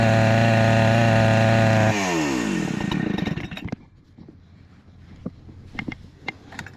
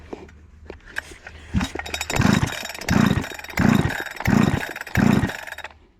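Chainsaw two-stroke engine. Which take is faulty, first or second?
second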